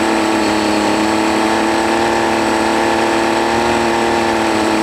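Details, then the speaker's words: Honda BF40 40 hp four-stroke outboard on a 14 ft boat that won't exceed 25 mph: it idles fine but gives a high, ragged drone at high rpm, starving for fuel; the cause was later found to be clogged carb jets, fixed by cleaning and new O-rings. "so what I think is really the way it sounds like that the motor is starving for fuel it sounds okay if or as long as runs in idle"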